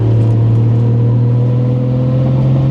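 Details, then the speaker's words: 1989 Toyota Supra, 2JZ-GTE with HKS 264 cam, S362 turbo, T56, warmed up on cold morning: steady even low drone cruising at constant engine speed, no misfires; healthy running after intake weld repair. "This is what I love. Just nice little cruise. Take the back roads."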